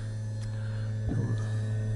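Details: PP-282 vibrator power supply with its original mechanical vibrator, 24 V in and about 170 V out, loaded with a light bulb and drawing 1.8 A: a steady low buzzing hum, even and unbroken under load, so it is running normally.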